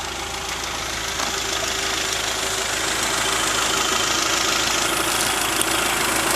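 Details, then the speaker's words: 1992 Honda Prelude Si, engine starts right up and idles steadily and evenly with a bright, busy top end, no misses or knocks; brief noise at start is a sticking power antenna; healthy idle. "the engine is really the the best part of the [Music] car it starts right up"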